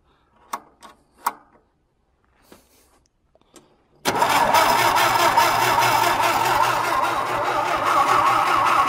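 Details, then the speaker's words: John Deere tractor, winter cold start, battery fitted and fuel primed, fuel dumping out of the carb: steady fast cranking about four beats a second that never fires; crank no start, fuel filter suspected. "nothing who it's just dumping the fuel out of the"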